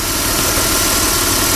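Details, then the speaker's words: Chrysler Sebring idling after fixing a 3-tooth valve timing jump caused by a broken plastic timing cover piece; now absolutely no tick, smooth as silk. Steady, even idle with no tapping or ticking; healthy. "all right now you hear it now there's absolutely no tick smooth is silk"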